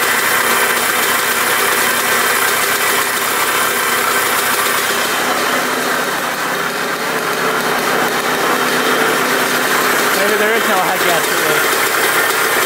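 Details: 1980 Suzuki RM125 two-stroke, first start on choke with the second kick after fitting a fuel line. Raspy, uneven, stumbling idle with throttle blips, running a little rough; tank leaking gas, loud silencer, top end somewhat noisy.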